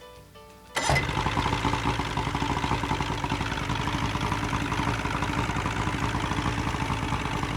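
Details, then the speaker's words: Boat outboard started after a new tachometer and fuel gauge were fitted and a broken positive cable was traced: catches at once and settles into a steady, even idle with no stumble or misfire. Runs fine. "Well, it appears to be shipshape, Bert. Good job."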